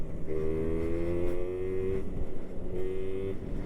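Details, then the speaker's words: 1999 Yamaha Razz two-stroke moped with owner-mixed gas and oil, bypassed oil pump, tuned carburetor and newer air filter, ridden at speed: thin high mosquito-like buzz, steady with small pitch dips, smooth; normal running at speed. "I sound like a mosquito. That's what this thing sounds like, guys. Sounds like a damn mosquito."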